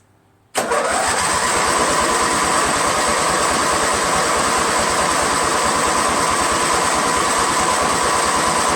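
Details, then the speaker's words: Small engine on its first cold start of the day, on full choke and full throttle with a trickle-charged battery: steady cranking at three to four compressions a second that never catches. Spark is present and it backfired once; keyway checked fine; cause unknown. "Took the spark plug out, checked for spark. It has spark. It actually backfired once. Tried to start it again. All I heard was a pop."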